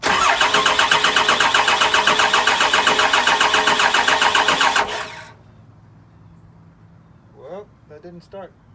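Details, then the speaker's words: Cummins VP44 engine swap, 199k miles, rewired after a no-start, fuel pump powered: fast, even cranking near four beats a second for about five seconds, no firing. No puffing; owner suspects the injectors need bleeding. "so here it goes I don't know if you can hear the fuel pump running"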